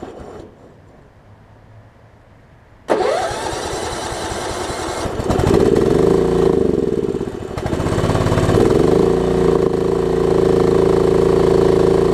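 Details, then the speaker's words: Craftsman LT1750 riding mower with Kohler engine, recovered from a mouse nest, running without air filter and with a fuel line leak: small single catches then sags and surges instead of revving; missing air filter suspected; engine not revving up. "didn't want to throttle up also don't have the air filter on us that probably has something to do with"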